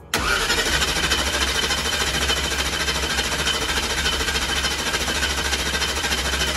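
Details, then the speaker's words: Truck just converted from gasoline to methanol, with a belt-driven fuel pump, cranked with the ignition off to prime the fuel system: uneven starter churn, about a hundred pulses a minute, no firing; normal priming crank. "so we're gonna prime the fuel pump real fast so all he's going to do right now is ignition is gonna be off and we're just going to turn them just parting the motor over to I'll tell you to stop"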